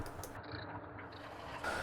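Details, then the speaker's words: Alba 1A shaper, formerly with a deep internal rattle and occasional clunk, after slideways reset, oiled and table refitted; low, even mechanical rumble with no knocking or clunking. Normal running after repair. "well it sounds much better and i nearly made the mistake of leaving the hand crank on when the feed was engaged"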